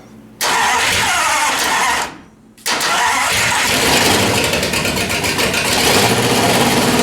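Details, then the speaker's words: Martin rat rod engine on straight headers, first run in over 20 years, on choke; cranks, catches, stalls, refires to a loud fast idle that surges and stumbles; owner suspects the center carburetor needs rebuilding. "I guess I'm GNA have to rebuild that Center carburetor to try and get a nice smooth idle out of it but that's the first time that motor's been run in over 20 years and it sounds good"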